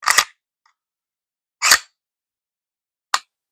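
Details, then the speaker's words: P320/M17 pistol, slide racked with about 1 mm of trigger pressure: sharp metallic clicks as the slide runs forward, each followed by a crisp snap; striker drops from light trigger pressure. "If I rack it back with a little pressure on the trigger, about 1 millm. You hear that click? Now it fires."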